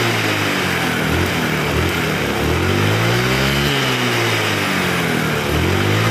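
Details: Honda Vario 110 carburettor scooter after fixing lack of power caused by the carburettor vacuum slide rubber: buzzes along, then revs up and settles back cleanly with crisp pickup and no stumble; carburettor running properly.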